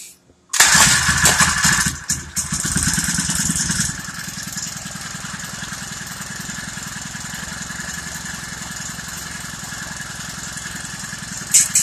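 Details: Honda GXH50 49cc four-stroke, unrestricted with Honda flywheel and ignition coil, run before the clutch install after gas on and choke primed: loud buzzy first seconds on choke, then a smooth even idle with no misses; sounds as it should.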